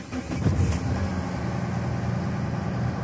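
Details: Mahindra Xylo after cleaning a weak-signal mass air flow sensor causing blinking check engine light, refitted and battery reconnected: starts quickly and settles into steady even low idle with no misses or knocks.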